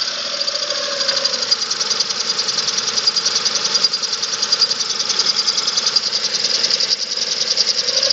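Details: 2005 Chevrolet Spark 0.8 (same engine as Daewoo Matiz) at cold idle in rainy weather, fast light metallic ticking in step with engine speed; valves not yet adjusted, valve tap or camshaft suspected; timing belt and rollers replaced 5,000 km ago.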